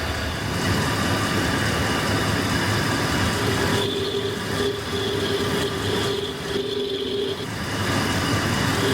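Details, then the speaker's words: 2008 GM 1500 heavy-duty pickup at idle, stethoscope held to the belt tensioner against the microphone: loud steady rough whirring roar with faint ringing; tensioner pulley bearing dry and bad. "well as you can obviously hear and see the tensioner itself the bearing in the tensioner pulley is bad on this thing"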